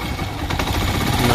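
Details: Honda TMX Alpha 125 motorcycle idling roughly with loose metallic tappet clatter over the exhaust beat, before valve clearance adjustment; weak pull, delayed acceleration, poor idle.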